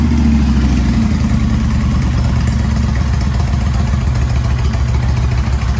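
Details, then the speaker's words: 2000 Kawasaki Vulcan 1500 V-twin, 42,000 km, idling right after a cam chain tensioner modification that cured a slight chain slap: low, loping, steady beat with no grinding, pinging or chain slap; healthy idle. "So the cam chain tensioner mod works extremely well. We don't hear any grinding or pinging or chain slapping."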